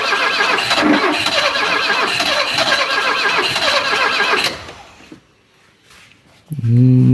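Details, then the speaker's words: Alfa Romeo 33, 34 years old, not run in 23 years, about 40,000 km, alternator belt gone: cranks steadily about four seconds, then a brief catch on starting spray; ignition, compression and oil pressure are fine, but no fuel arrives; fuel pump suspected. "it wants to it wants to run with the spray but that is quite not quite enough we may have a issue with the gas pump with the gasing pump over there still no signs of gasoline"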